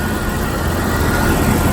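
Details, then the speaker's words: 1998 Jeep Wrangler TJ after lubricating the distributor assembly as a temporary fix for an engine squeak: steady even idle, smooth low rumble, squeak completely gone; distributor replacement is the real fix. "okay so what happened to that squeaking sound it has completely disappeared and this engine is"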